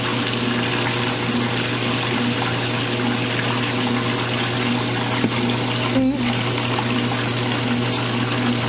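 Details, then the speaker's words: Roper washer in a friend's house, after earlier trouble with the load going off balance: motor hum as it spins faster than before and the drain pump rushes water out; spin even and normal, clothes getting pretty dry. "It's spinning faster than it was before, which is good. Now it's getting the water out."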